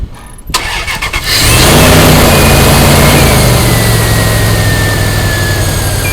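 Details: 2000 Dodge Durango 5.9L V8 started after weak battery charged in engine-start mode; brief crank, catches cleanly and settles to steady even idle, alternator near 30 A at idle: normal start and idle.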